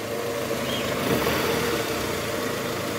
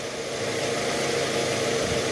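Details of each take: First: 2009 Toyota Harrier 2AZ-FE 2.4 L at cold start with AC on, shifted into R or D and revved: coarse rattling roughness from the oil pan area, gone with AC off; worn balancer shaft confirmed. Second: 2009 Toyota Harrier 2AZ-FE 2.4 L, AC on, shifted from neutral into R after replacing a worn balancer shaft: smooth even idle, no crackle or rough rattle; harsh noise gone.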